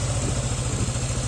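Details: Older Yamaha NMAX that was loud enough to sound like it would break, after cam bearings and camshaft were replaced: an even low putter at steady idle with no tapping or clatter. Normal idle.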